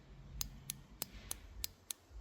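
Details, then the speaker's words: Suzuki TL1000R fuel injectors bench-tested with 12 volts across the pins: six crisp solenoid clicks about a third of a second apart, one injector clicking deeper than the others, possibly faulty; normal fuel injector click. "That one works. That one works. That one works. That one also works, but sounds different."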